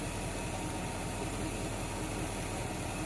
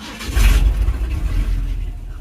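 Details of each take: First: 1976 Ford F100 V8, warm idle at about 15 inHg vacuum: intermittent light, uneven rattle over steady idle is the PCV valve jiggling from warm-engine blow-by; still working, to be replaced later. PCV valve rattle at idle. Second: 1976 Ford F100 V8 after carb tune and timing set, no muffler: starts quickly and settles into loud open rumble; slight grumble on cranking suggests timing maybe a degree advanced; runs and shuts down fine.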